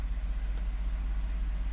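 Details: 2014 Ford F150 3.5 V6 EcoBoost, ~91k miles, after new plugs and coil packs fixing P0303 cylinder 3 misfire (bad coil pack): low even idle rumble, steady pulses, no stumble or skip; normal idle, zero fault codes.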